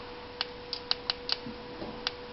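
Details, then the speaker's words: 1992 Honda Civic with no spark, no injector signal and no fuel pump signal, engine not running: sharp, irregular coil snapping; it fires intermittently, so the fault lies in the wiring harness or connectors, not the distributor or PGM-FI. "Even though you can't see it sparking right now, I can hear it sparking. So that tells us our problem in this is not in the distributor, it's not in the pgm.fi, but it's in the wiring connectors, the harness, or something itself."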